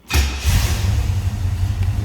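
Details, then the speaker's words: 1967 Chevrolet Camaro Convertible with mild cam, cold start: short crank, catches at once and settles into a steady, even burble; starts easily and runs smooth, healthy. "See how easily that starts and smooth it runs."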